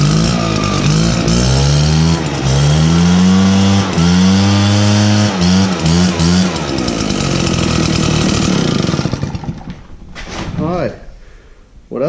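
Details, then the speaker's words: RedMax backpack blower after repairs: two-stroke howl rises and falls cleanly with throttle, even firing; normal run. "we're going crank over to make sure everything's operating as it should a lot better throttle response for sure"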